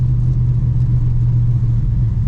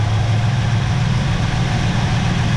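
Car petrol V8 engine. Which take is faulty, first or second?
first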